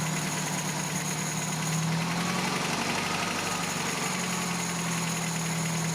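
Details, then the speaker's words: 1987 Toyota pickup 22R carbureted four-cylinder after carburetor teardown and ultrasonic clean, previously would not idle: steady, even idle with no surging or stumbling. "I have no idea what happened to my camera it just cut off in the middle of tuning this thing suffice it to say that I was able to get the idle mixture screw three and a half turns out like Toyota recommends I've got my base idle set at 750 RPMs"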